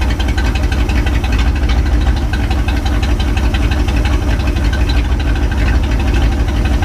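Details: 1967 Chevy C10, 327 V8, 11,200 miles, first run in 33 years after fuel system work, no exhaust: loud steady low rumble, lumpy but even beat, no knocks or misses; normal idle.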